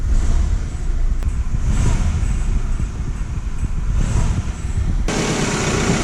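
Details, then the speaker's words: 1998 Toyota Camry 2.2L 5S-FE, in drive on the brake with the throttle tapped: heavy low thumps and knocking as the engine bangs around on a failed front engine mount; other mounts stretched or worn. "they said you can hear the engine banging around when he got on the gas pedal so I'm going to show you exactly what that is"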